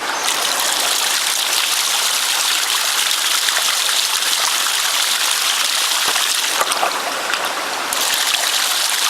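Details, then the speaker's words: Ram pump with the creek running low: constant rushing water with irregular back gurgles through the pump cycle, meaning air is being drawn into the drive pipe (penstock). "That's the sound of that back gurgle. That's air. That's what you don't want."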